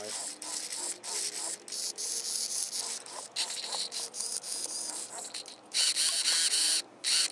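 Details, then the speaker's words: Newly fitted elevator servo in an RC model rebuild: short bursts of high, thin, harsh buzzing as it moves, described as almost grinding; abnormal servo noise, cause unknown. "leave a comment if this Servo sounds strange to you it's making almost like a grinding sound"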